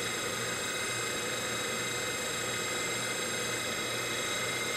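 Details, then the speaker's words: DC motor from a 1974 Karmann Ghia EV conversion, spun on the workbench from an old weak 12 V battery sagging to about 9 V, contactor clicking: smooth even whir with steady high whine, no knocks or roughness; running normally. "I heard the contactor click there so everything sounds real good nice and smooth"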